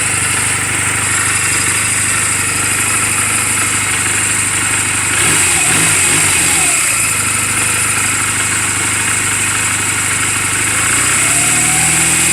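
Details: 2007 Honda Rebel 250 idling in neutral just after an oil change and valve clearance adjustment: a small single-cylinder idling evenly with one brief throttle blip, smooth and clean with no valve noise. The engine is mechanically sound and running perfectly, a normal idle.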